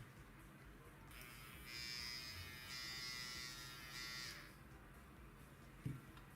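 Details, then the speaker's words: Hair clipper running during disassembly: harsh coarse high-pitched buzz, excessive vibration noise; owner suspects play in the pressed-on eccentric on the motor as the cause, not confirmed. "How do you remove the motor to eliminate this noise?"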